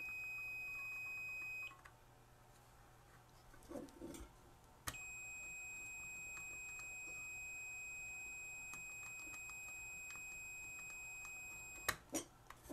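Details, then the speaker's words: Vintage 1979 Snap-on MT241A timing advance light with intermittent power switch, ohmmeter continuity test on the switch: solid steady high beep held about seven seconds without dropout; switch tests good. "oh while the switch tests absolutely perfect"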